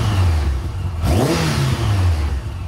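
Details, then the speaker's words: Faired motorcycle with a newly fitted exhaust, now warmed up at low revs after a stuck choke cable issue. The deep exhaust note rises smoothly on a quick blip and drops back to a steady idle, with light fairing rattle. Healthy. "it's now warmed up a bit but listen to this i mean it's a fairing bike it rattles it's what it does but i do need to cut it out a little bit but um yeah sounds great"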